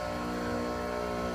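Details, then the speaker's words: Enco tool grinder with newly fitted machined diamond wheels on 8 mm countersunk screws, test run: smooth even hum, no wobble or knock, vibration-free with no ripple on water cup. "That is the smoothest running grinder I've ever seen. I'm not kidding."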